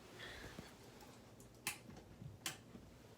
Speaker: my ceiling fan is making a clicking noise yeah you can hear that